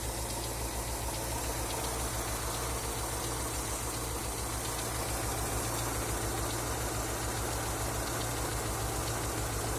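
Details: Engine knocking after an oil change: steady idle with an uneven light knock about three per second riding over it. Cause suspected, not confirmed.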